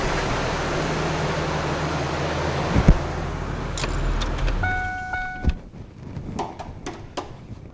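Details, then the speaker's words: 1998 Ford Ranger, 2.5L four-cylinder with manual transmission, about 63,000 miles and sat 12 years, idles briefly after an oil change with Castrol Edge 5W20 while checking underneath for leaks. The idle is steady and even and it shuts off cleanly, with no leaks found. "we're gonna start it up let it run for a moment look underneath make sure there's no leaks"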